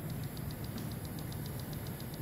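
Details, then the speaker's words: ÄKTA system M9 mixer clicking; something inside seems to be hitting against the moving part, a black patch spotted inside suspected as the cause. Quick even light ticking about seven times a second over low motor hum; cause not confirmed. "just hitting against okay okay I think I found it"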